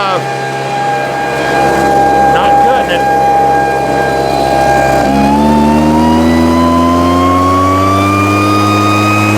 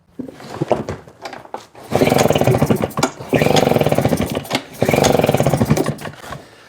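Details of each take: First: Husqvarna 150 BT backpack blower after fixing bogging/no-start (customer had misrouted fuel lines, wrong tank grommet; tank grommet and fuel lines replaced, routed correctly), started with a little choke: steady high buzz climbs cleanly in pitch as throttle opens, no stumbling or bogging; normal revving. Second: Husqvarna 150 BT backpack blower with customer-replaced fuel lines, reported bogging, choke on: three short firing bursts, each surging about a second then fading; engine catches but starves for fuel and won't keep running.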